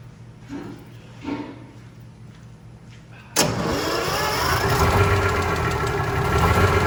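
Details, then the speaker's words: Vintage bus diesel during a compression check, engine cold and rings not yet seated; slow, uneven cranking before it catches and settles into a rough idle; compression sounds weak on the crank. Cause suspected, not confirmed. "they got the depression engines cold and the Rings haven't seated in yet"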